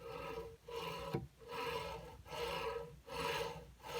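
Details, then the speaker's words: Prusa MK2.5 3D printer with print artifacts: rough rasping that rises and falls with each carriage stroke, about one pass per second; worn linear bearings, to be replaced. "listen to that and it's sticking those bearings are just like freakin junk"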